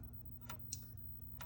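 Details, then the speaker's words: Game board audio output during repair: sharp isolated ticks about a second apart over a low steady hum instead of the normal low signal; the C12 capacitor is suspected bad, not confirmed. "This is a normal how the high-pitched low sound. This is making some weird flicking noise."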